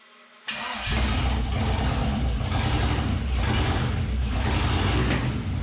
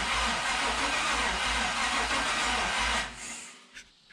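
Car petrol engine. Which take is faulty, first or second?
second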